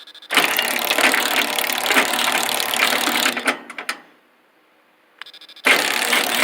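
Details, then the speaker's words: Helpmate 10-foot garage door opener with V-belt drive, chain and limit switches on top: steady motor hum with light chain rattle that cuts out and restarts, with a noise at the end of travel; normal opener operation. "yeah so there it is see the v-belt running in there that noisy here is the switch at the limit switch on top and that noise you hear at the end"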